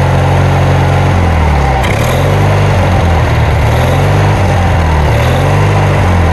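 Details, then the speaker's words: Kohler Magnum 20 single-cylinder on a Wizard mower, first start after repairs: steady chugging whose pitch wavers and dips every second or so; hunting, uneven running, owner plans to adjust it. "Enough of that noise, right? I'll get it adjusted."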